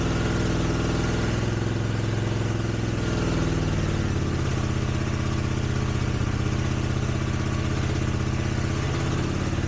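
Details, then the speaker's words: 1983 GL650 motorcycle that sat outdoors for 30-plus years, first start after carb cleaning, choke on: starts right up, steady even twin idle, no smoke, clear exhaust, no knocks or misses; engine sounds healthy. "looks like a good engine starts right up doesn't smoke now this is after sitting for 30 years"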